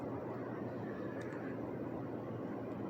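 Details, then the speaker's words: 2008 Chevy Impala 3.5 V6 after fixing bad terminal connections, a nicked wire and a relocated sensor (not the alternator) for a no-start: starts right up, idles with a low steady rumble, no misses or knocks. "we get it all figured out starts right up runs perfectly fine"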